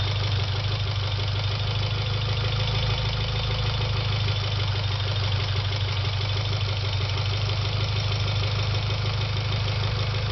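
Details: Mitsubishi Evo X engine idling steadily with a light, quick tick riding over its low hum.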